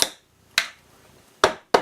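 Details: Escape room secret compartment safe prop with electromagnetic lock, correct code 927 entered: sharp dry clacks at irregular spacing with silence between, the lock pulling shut normally.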